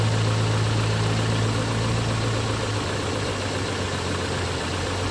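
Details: Engine starts and idles with a low, steady hum, no radiator fan roar at startup, after replacing the coolant temperature sensor and thermostat and bleeding the coolant; the fan had previously run full blast from every cold start. Normal idle.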